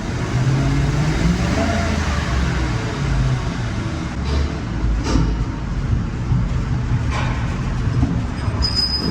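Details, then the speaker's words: 2003 Mercury Grand Marquis 4.6L V8, fuel pump and plugs already replaced: long crank, slight misfire, then deep uneven rumble bogging on acceleration with back pops; fuel pressure below 20 psi (14 psi), fuel starvation, pump leaking inside tank. "You guys hear that back popping? You guys heard that? That back popping is the sound of the engine starving for fuel."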